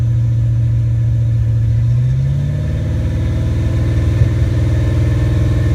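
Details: Ford Mustang 5.0 mass air V8 running a rebuilt A9L computer under test: pulls up cleanly and holds steady revs, then back to an even idle with no stumble or misfire.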